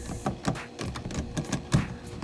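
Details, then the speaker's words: 2013 Toyota Camry, front under bumper: irregular hollow plastic clatter on any bump from engine splash shield left loose by two missing 10 mm screws and two plastic clips; fixed by replacing fasteners. "because without it what's happening is this any kind of bump you'll hear this rattling"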